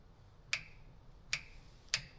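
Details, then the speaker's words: 1969 Mustang fastback: bolts are snugged in a circle pattern, then torqued to about 31, giving three crisp clicks roughly a second apart as the torque wrench breaks over at the set torque. The bolts are to be re-torqued after the engine is run and heated. "You hear that little clicking? That means they're at at the torque specs."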